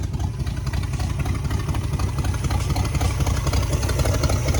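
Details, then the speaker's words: 1966 Buick Sport Wagon V8, dead cold, idle turned up slightly after ignition points work: steady, even idle with smooth low burble, all eight cylinders firing, no miss. "wow listen to that that is all eight baby that is all eight"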